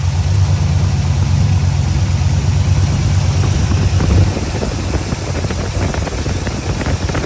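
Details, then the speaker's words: Square body Chevy 350 V8 after starter bolt hole repair, first run in six months: deep steady rumble with even beat, no misses or knocks; smooth healthy idle. "Yeah. Man, does it feel good to hear that sound again? Well, well, well. She finally runs again since last November, which is 6 months at this point, half a year already."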